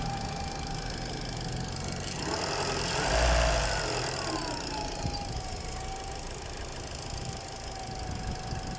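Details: Peugeot 206 1.6 petrol, which also has noisy hydraulic tappets: steady mid-pitched howl over the engine, climbing briefly with revs; cause unknown, shop fixed it quickly without saying what it was.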